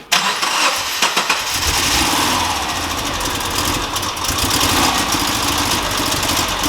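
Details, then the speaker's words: 2002 Subaru Forester SG9 with EJ25: after cranking it settles into a lumpy, uneven idle with a steady stumble. Major misfire, confirmed by compression test as complete loss of compression on cylinder three. "so I've just confirmed what we were told we have complete loss of compression cylinder three"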